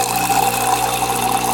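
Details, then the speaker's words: Saeco Intuita espresso machine in test mode, pump activated: steady buzzing hum with water rushing, even throughout; pump working normally, button LED blinking with flow meter revolutions. "pump is working."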